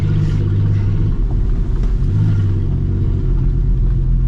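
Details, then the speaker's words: 2004 Ford Explorer driving on bad gas that stalls it off-throttle: a heavy low drone rises after a dragging sound and follows road speed, swamping the engine note; the owner suspects the exhaust system fell off. "droning is awful I think what fell off with my was my I think what fell off was my exhaust system cuz I heard a dragging and then automatically it's loud"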